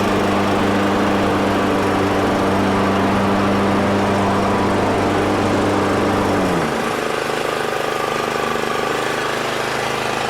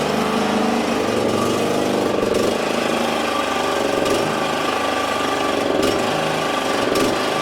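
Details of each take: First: Exmark 21-inch mower, clutch sounding fine: the single-cylinder engine runs steady, then drops pitch, with a rough gritty grind underneath coming from the wheels, possibly a rock caught in them. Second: Exmark 21-inch mower, checked after suspected grinding noise from the wheels, clutch sounding fine: engine holds a steady, even buzz with no misses, knocks or grinding; runs normally.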